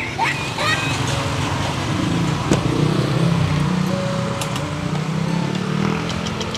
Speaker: Wala na yung tunog, Daddy Frank. Wala na yung tunog. Oo nga, no? Tahimik na, no?